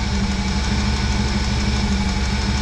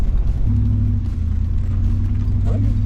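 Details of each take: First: 1996 Chevrolet C1500 Suburban V8, warm, just after new crank and cam angle sensors and coil pack; steady idle with a light, quick tapping on one side, owner suspects valve lash needs checking; engine ticking. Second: 1996 Chevrolet C1500 Suburban V8 after new crank angle sensor and coil: deep, even rumble pulling away with no stumbles or cut-outs; running smoothly, though owner worries about exhaust condensation when cold.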